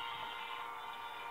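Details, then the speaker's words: 1938 Zenith 9S262 tube radio after restoration, warming up, no antenna fitted: thin station audio plays steadily with no hum, crackle or fading; normal reception. "you can see it's pulling in that station and if i put an antenna on it it would"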